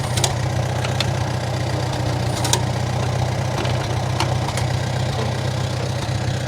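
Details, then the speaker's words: 1947 Farmall M first start after sitting all winter with almost year-old regular pump gas (not non-oxy) in the tank: uneven, lumpy low idle with irregular stumbles and loping beats; rough running from stale fuel. "i left it in there all winter as you can heal as you can hear it's still running quite rough"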